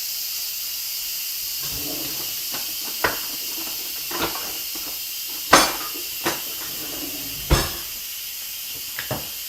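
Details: Instant Pot venting steam during a normal pressure release after cooking teriyaki sauce: a steady, even high hiss with a few handling clunks over it, release still in progress before the lid is opened.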